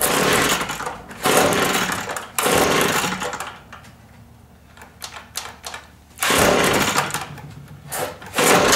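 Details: Free two-stroke leaf blower that reportedly wouldn't run, cold start with primer bulb: several rough one-second pull-cord cranking bursts with pauses; turns over but never catches; spark plug next inspected.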